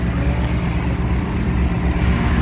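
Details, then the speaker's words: 2018-2019 Ford Mustang just after a Ford dealer oil change, checked for the tick that previously started instantly; steady low, smooth idle rumble with no top-end ticking, sounds really good, normal idle. "so far the car sounds really good no ticks so far"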